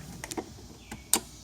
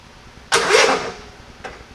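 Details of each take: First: Scotts riding mower, engine off, after taping a burnt wire: several sharp, crisp clicks as the key is turned; the fuel cutoff solenoid, which did not click before, is now actuating properly. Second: Scotts riding mower after cleaning dry-rotted gas cap rubber out of the tank: a few short tries, then steady rapid chugging about 2.5 beats a second that never catches; won't start on its own.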